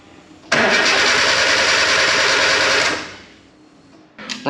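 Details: K11 Nissan Micra Super Turbo time attack car after Mallory Park: even, brisk cranking about 2.5 s with no firing; new starter fitted, voltage dipping below 9 V while cranking; won't start.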